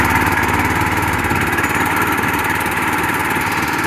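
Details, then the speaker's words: Old go-kart that sat in a shed for years, after repainting: the small engine holds a steady, even putter at constant speed with no knocks or stumbles until shut off; the kill switch had to be flipped again to stop it. "so that works works perfectly fine"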